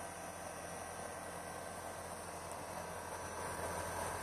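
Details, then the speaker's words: Fujitsu mini-split outdoor unit after condenser fan motor replacement, about 95°F, compressor running hard: steady, even hiss and hum, no rattle, scrape or bearing squeal from the fan; sounds normal. "nothing from the fan y'all that fan is running smooth our compressor in here we got it raising hell"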